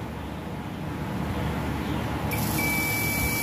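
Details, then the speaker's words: Sharp CD-G15000 mini stereo with no power, power supply fuses checked with a continuity meter: quiet hiss, then a steady high-pitched beep that holds. Continuity shows the fuse is good. "another one it's good third one it's good also fourth one sounds so good"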